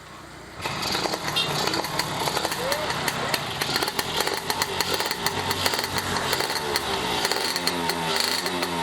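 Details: Fully restored Yamaha F1ZR two-stroke: a crisp crackle that picks up cleanly with each throttle blip and drops back without stumbling. Normal revving, engine healthy.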